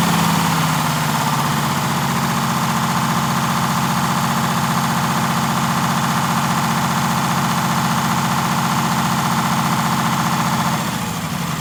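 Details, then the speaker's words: 1947 Silversides bus, Detroit Diesel 6-71, during governor adjustment: steady diesel idle clatter with a slow surge in speed; idle hunts from the governor buffer screw being out of adjustment. "yeah i just want to make sure i get the hunt out of it real easy"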